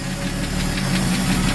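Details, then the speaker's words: First fired up after sitting, on old gas with a faulty carburetor likely flooding fuel and oil of unknown condition: rough cold idle with a quick light ticking; owner suspects the valve train. "Sounds like a valve train isn't too happy. So, I don't know how the oil is. Carburetor was messed up, so it's probably dumping a bunch of gas in it."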